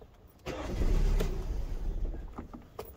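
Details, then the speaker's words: 2011 Kia Sportage 2.4 4x4 with many stored codes: short crank, engine catches and surges, then sags and stumbles out within two seconds, won't keep running after stalling; catalytic smell and lack of power noted. "sí ya no quiere me llegó una aromita como a catalítico como que no tiene fuerza"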